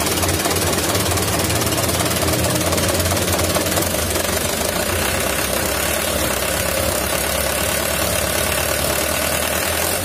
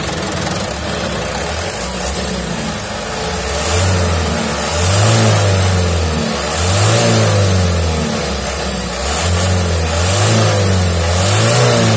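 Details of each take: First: 2011 Mitsubishi Canter Super Speed diesel truck: heavy uneven rough clatter with knocking beat, "tak" sound at shutdown, heavy throttle and weak power; injection pump inspected, its timer found cracked, throwing timing off. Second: 2011 Mitsubishi Canter Super Speed diesel truck, after a broken injection pump timer was found and the pump reworked and idle adjusted: diesel clatter at idle, three even rev-ups settling smoothly, no misfire or knock; normal revving.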